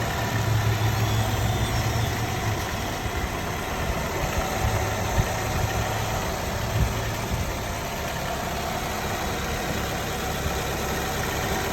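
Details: 2015 Nissan Altima 2.5 SV, 75K miles, recently bought from a dealer, at idle: light rattle and faint steady whine over the low hum; source unidentified.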